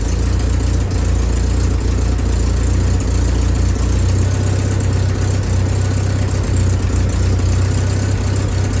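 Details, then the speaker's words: Willys M38A1 Jeep at first start after tune-up for a small miss: new distributor cap, rotor, condenser, points adjusted. Deep, steady idle rumble with even firing and no misses; idle throttle needed turning up slightly. "Feels like you need to turn up the throttle just a little bit."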